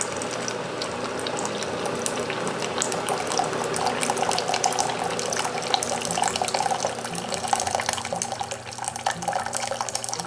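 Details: Keurig coffee maker brewing a cup after heating: soft pump hum under a steady stream of water splashing into the cup, smooth and uninterrupted; normal dispensing, about eight ounces.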